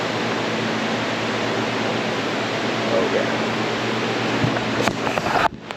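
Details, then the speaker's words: Modine shop heater after servicing, pilot lit, thermostat set to 90: constant rushing air with low steady hum, no rattles or surging; burner firing and blower running smoothly. "Nice and toasty up there. So, I think we're good."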